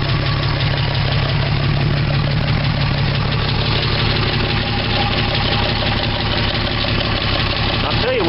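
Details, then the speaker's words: 1975 Dodge D100 slant six idling in wind after cleaning points and a vacuum line: idle rocks with a stumble every few beats from a missing cylinder. The replaced plug wires were crossed, number one lead going to cylinder two. "but it does act like it's running now but she's missing a little but we got to figure that out"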